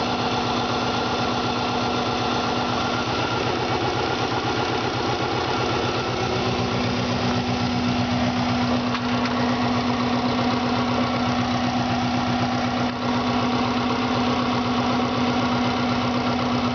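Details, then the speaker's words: 1995 Subaru WRX GC8 EJ20G, not fully cooled after running, that lost boost and sounded like a tractor: rough, uneven idle, rapid chuffing and top-end knock, exhaust leak; found a holed piston (zero compression), cracked turbo. "so I found oil basically on the underside um I'll leave the camera down here and show the exhaust leak as well as I can hear a knocking in the top of my engine probably really hard to tell on the camera but try and get it as best as I can"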